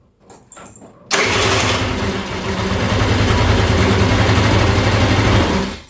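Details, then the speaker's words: GY6 scooter after replacing the faulty old starter motor with a cheap new one: brief quick starter whir, catches at once, settles to a steady even idle. Healthy starting system. "Bro, that cranked so fast. Okay, that was That's what we That is what we wanted to hear. A fast crank and an instant start."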